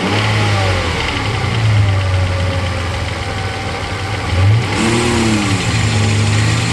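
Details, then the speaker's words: Mercedes SL600 with repaired throttle bodies, linkage worked by hand under the hood: revs rise then sag to flat drone and won't climb, ASR light on; electronic throttle limp mode. "There goes your limp mode. You see, there's nothing left. No more. Because if you play with the linkage under the hood, this is what you get."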